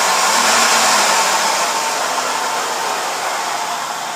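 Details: Toyota RAV4 V6: rough, gritty rattle over a steady engine note, fading slightly toward the end; source and cause unclear; rattle or grinding noise.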